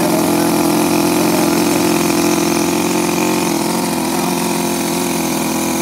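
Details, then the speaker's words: Toyan FS-L400 14cc inline four-cylinder four-stroke water-cooled nitro model engine on its first-ever start runs smoothly, with a steady, even buzzing firing note and no misses or knocks. "look at how smooth that thing is i don't know how hard"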